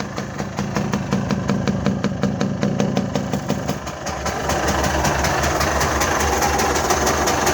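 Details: Mitsubishi Delica 6G72 V6 at idle: a steady airy hiss with light pulsing near the throttle body is normal intake suction; a smoke test found leaks only at the airbox spring clips and an intake hose; normal intake suction noise.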